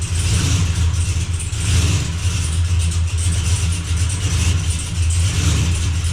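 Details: Blazer after transmission repair, running while shifter is cycled through gears to circulate transmission fluid; even low rumble without clunks, slips or whine, good oil pressure, nothing dripping: normal running.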